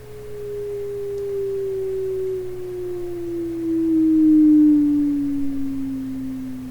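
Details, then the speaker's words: Westinghouse oval cone loudspeaker from a 1928 RCA Victor 28 TRF radio on a low-frequency sweep: clean, steady tone sliding downward with no rattle, a slight response rise just before low-end rolloff; normal. "get down low-frequency there's a bit of a rise to it which might be handy in a way compensate for the radio signals like a bass or speaker generally"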